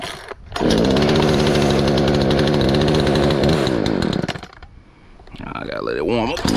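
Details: Poulan Pro PP4218A 42cc two-stroke chainsaw after chain replacement, warming up with choke pushed back in: revs high and steady, drops to a smooth idle, then picks up cleanly again; runs fine with no misses.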